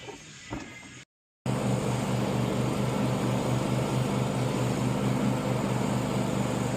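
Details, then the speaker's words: Small-engine lawn mower test run after cleaning debris from the fuel tank and clogged pickup tube and fitting a screen filter: steady, even drone with no misses or surging, healthy running. "We ran it for about 40 minutes, and she sounds great."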